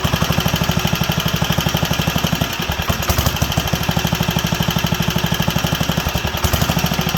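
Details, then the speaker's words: Wisconsin AENL barn-find engine on its first run in 20+ years, after restoring spark and cleaning the fuel system and carb. Slow single-cylinder thumping, speed sagging and recovering as it leans out repeatedly; it's drawing fuel, and a new needle is probably needed. "but it's leaning out coming back leaning out coming back so we'll give that a shot"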